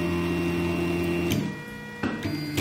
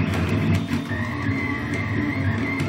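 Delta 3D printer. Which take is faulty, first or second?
second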